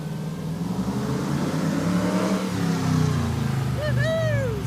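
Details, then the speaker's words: Hemi-powered Gremlin revved hard up the street after a voltage fix, sweeping up the revs strongly and evenly with no cutting out or stumble; the rev limiting is gone and it's loud enough to set off a car alarm. "far so good F no more rev limiter and it's just loud enough to set off the car alarm"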